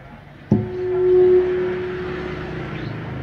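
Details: Simple mini outdoor audio system: a pure, steady howl near 350 Hz swells up then sits at a lower level, classic midrange acoustic feedback, while the 500 Hz equalizer band is cut to remove it.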